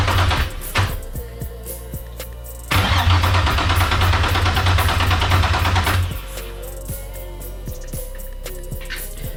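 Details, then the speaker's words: First-start attempt on a freshly rebuilt VQ35DE (new bearings, gaskets, rings, seals) swapped into a 240sx S13: steady crank for about three seconds, no start, with codes. The timing-cover ground was not connected. "as you guys can see we got a couple codes there and then we got a dry crank"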